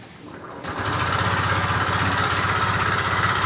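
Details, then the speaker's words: Honda Vario 125 scooter at about 31,000 km idling with a steady, low, rapid knock from a damaged connecting rod. Oil treatment and Shell 20W-50 oil failed to quiet it; the connecting rod must be replaced. "Jadi kalau menurut gua oil treatment sama oli 2050 nggak bisa ngobati untuk yang stang seher rusak ya. Jadinya memang harus diganti stang sehernya, dan suara itu juga nggak meredam untuk suaranya, jadi tidak berisik."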